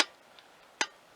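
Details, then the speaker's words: BSA A65 after throttle cable adjustment, throttle now opening fully so the slides top out: a single crisp click as the slides close, with no staggered clicks. Twin carburettor slides synchronized. "i've got the throttle opening fully and i can hear the throttle slides topping out they're opening all the way now"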